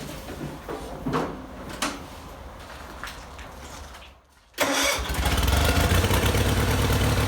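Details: 1974 Bolens HT20 garden tractor, after a fuel-related stall, a coil replacement and a new fuel primer fitted and used: a few weak pulls, a pause, then it fires and settles into a steady, even run. Running normally.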